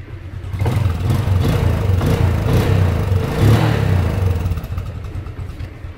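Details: 2010 Yamaha Exciter single-swingarm motorcycle, first registered 2013: the single-cylinder revs up and drops back cleanly, smooth and even with no knocks or rattles; the engine sounds healthy.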